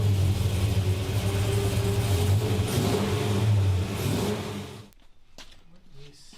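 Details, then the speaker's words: 1963 Nova wagon with an LS3 swap, driven about 10k miles: an uneven, stumbling V8 lope; a laser thermometer shows the last cylinder on one bank ice cold. Dead cylinder misfire. "Oh the last cylinder on this side is ice cold the rest have heat in them but the back one is ice cold so we definitely have an issue over here"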